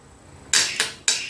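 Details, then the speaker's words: Motorcycle self-start relay with battery positive and negative applied directly to its thin wires: two pairs of sharp metallic clicks as the coil is powered and released. The relay works, so the fault lies in the wiring. "ये देखिए, अगर आपको भी कुछ इस तरह की आवाज़ यहाँ पे सुनाई देती है तो इसका मतलब जो प्रॉब्लम है वो आपकी वायर्स की तरफ में होगी।"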